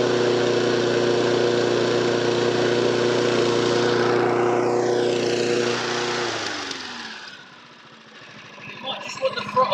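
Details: Honda HR173 mower sent in as a non-runner, started with fresh fuel; air filter old and deteriorated: steady, even single-cylinder drone with no misses or knocks, then smooth wind-down; normal healthy running.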